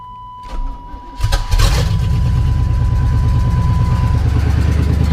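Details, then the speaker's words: 1988 Chevy K1500 V8 with new shorty headers, open exhaust, warm restart: cranks, catches, loud choppy puffing idle with sharp pulses; owner suspects header exhaust leak from an untightened bolt. Unconfirmed. "So it's not really a cold start, but it sounds like there's a leak. Like maybe I didn't get one of the bolts tight, but I don't know."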